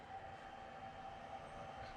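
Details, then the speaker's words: MSI GS65 gaming laptop after CPU/GPU fan replacement, tested standing on its side with the back cover off: the CPU fan spins with a soft, smooth, even whir and no rattle or scraping, so it is spinning nicely. "Spinning nicely."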